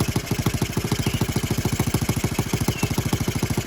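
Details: Honda Z50R after retightening the cylinder head bolts to about 10.5 ft-lb, left finger-tight after valve adjustment: crisp, regular single-cylinder idle about two hundred pulses a minute, steady with no ticking; head leak gone, normal idle.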